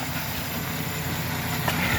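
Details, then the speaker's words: 2013 Chevy Silverado 4.3 with intermittent throttle-body codes, back to normal after a restart: low, even, healthy idle with no misses or surging; the fault was traced to the wiring harness at a bracket. "Alright, so the truck is like normal now. It's pretty much working fine. No more issues."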